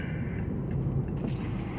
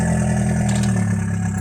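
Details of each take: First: VW Passat 1.8T with Stage 1 APR tune, airbox removed for free-flowing intake, plus downpipe: steady engine drone with quick fluttering chuffs on throttle lift; turbo compressor flutter now audible through the open intake. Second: VW Passat 1.8T with Stage 1 APR tune, free-flowing intake and downpipe, stock exhaust: steady even idle with faint high whistle over it; turbo now spools at idle, which it did not before.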